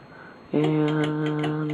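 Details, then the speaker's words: Casablanca Delta II four-blade ceiling fan, pre-1988: steady motor hum with a light tick about four times a second, coming from up at the motor; owner unsure of cause, doesn't think it's bearings. "I don't really know what that noises they just be able to hear but it's kind it kind of goes like juju chick I don't think its bearings and"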